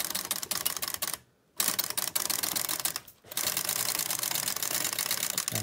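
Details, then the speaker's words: Toyota KS787 knitting machine after repair: carriage slides across the whole bed with pattern button selected, a dense, even crisp rattle, pistons alternately selecting every other needle; normal carriage operation. "And it's looking good because you can see the little pistons I mentioned earlier are alternately selected and they're sitting on their springs, so I'm hopeful that this will actually work. You can hear the rattle of the carriage, sounds good."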